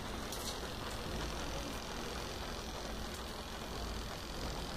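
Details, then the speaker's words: Tanquinho washing tub just switched on with its timer running: soft, steady motor hum with an even churning underneath and no knocks or squeals. The agitator is running normally. "dá para ouvir o barulhinho dele trabalhando"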